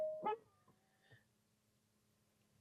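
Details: 2022 Genesis GV80 power seat moving from setting one to setting two gives a sharp yelping squeak, then a thin drawn-out squeal over the motor hum. Lubricating the joints failed, so the seat base is being replaced.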